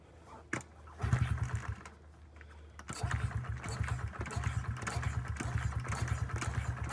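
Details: 2009 Honda CRF50F pit bike, not started in 2 years, kickstarted with choke up: brief stumbling catch, then a lumpy, uneven idle; hard starting, about 6.5 minutes of kicking, because the choke was left on too long.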